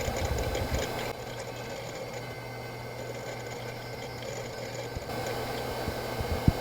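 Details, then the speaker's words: Bondi Blue iMac G3 (233 MHz) hard drive, lavalier mic on the front: steady whirr with rough uneven ticking about three per second after boot, then system freezes; failing hard drive. "We're going to probably boot this up again and try that again. It only made it after it finished booting up."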